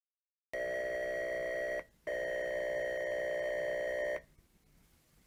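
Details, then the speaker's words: Atari 410 cassette recorder loading the Sammy the Sea Serpent tape into an Atari 400 via CLOAD in BASIC; steady warbling data tones around two kilohertz, a short gap, more tone, then quiet, played through the TV; a normal cassette program load. "that's what the Ataris would do they would play the data being transferred audibly over to your your TV so you can hear it load"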